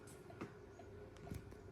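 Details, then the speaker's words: Rare BG Harcroft 36-inch industrial ceiling fan at low speed: steady motor hum with some bearing noise, a low rumble and soft thumps about once a second from unbalanced, wobbling blades. "do have a bit of bearing noise which you'll hear"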